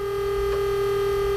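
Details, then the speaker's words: Cummins NHC250 diesel truck, unstarted for about two months, with a DIY relay-switched electric pre-lube pump: steady, even electric hum before engine start as the pump begins moving oil and building pressure normally. "so you know that we're starting to pump some oil and build a little pressure"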